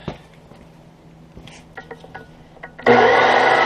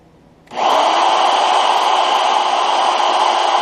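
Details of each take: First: Brand-new standard chisel-point drill bit cutting metal, compared with a spiral-point grind. A harsh, steady jackhammer-like rattling buzz as the bit bites: the chisel point bounces and hammers in the cut, leaving marks in the hole. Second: Drilling: steady even cutting hiss with no chatter or stutter from start to finish; bit cutting smoothly and cleanly, normal drilling.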